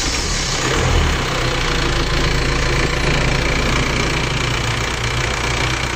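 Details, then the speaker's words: Isuzu Elf diesel after two cylinder liners were replaced without removing the engine to cure blow-by, refilled with 7 L of oil, second start after reassembly: a steady, even idle with ordinary injector clatter and no knock; smoother than before, possibly from better compression. "Kita merasakan suara mesinnya kayaknya lebih halus daripada sebelumnya. Ini kayaknya lebih halus sekarang ya."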